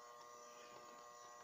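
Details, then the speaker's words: Tanquinho (small top-loading washing machine) that stopped working: motor not seized but burnt, steady electrical buzz with no spin-up; burnt motor, must be replaced. "é esse motor está queimado não tem não tem que se possa fazer tá trocar o motor ok"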